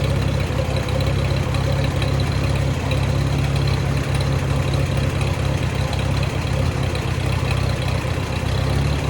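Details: Allis-Chalmers WD tractor running after cleaning the clogged sediment-bowl fuel screen: low, slow idle thump that wavers rather than settling evenly. The owner suspects the carburetor needs adjusting.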